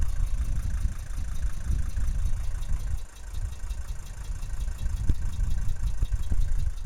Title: Mercedes W123 300D strange noise from exhaust